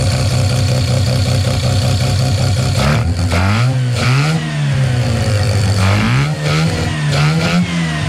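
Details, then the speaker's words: Mazda 13B rotary on EMPI IDA carburetor, after replacing faulty fuel regulator and raising float level just over half a millimetre: no more overfueling or fuel spilling down the boosters; steady burbling idle with clean, smooth blips. Normal idle and revving. "righty we've got no overfueling um anymore so I think we probably pretty much bang on"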